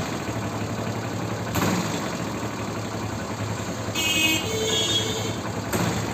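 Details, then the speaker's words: Hero Splendor Plus single-cylinder idling with sharp throttle blips, each giving a whistle-like phat and a hissing puff of air. Gas escapes past a failed cylinder head O-ring, fixed by opening the complete head. "जैसे ही मैं झटके से race देता हूं ना bike की वैसे फट फट करके आवाज आती है मतलब हमेशा आती है यह आवाज"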